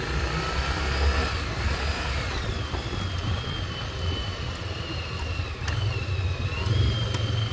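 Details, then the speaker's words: 1996 Yamaha Virago XV750 V-twin, revived after about 10 years in a garage, test ride: steady drone pulling cleanly, rising and falling evenly through the gears under wind noise, no misses or stumbles. "Pretty damn good. Cleaned up really nice. This was actually super easy to get cleaned up and running great."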